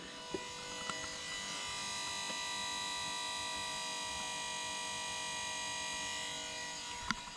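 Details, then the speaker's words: R53 Mini power steering pump with its connector unplugged and the battery connected: faint steady electric whine at an even pitch, no grinding or catching; pump motor running normally, though no control cable is connected. "yeah it's dark in there you won't see anything but hopefully you heard that power steering pump is running"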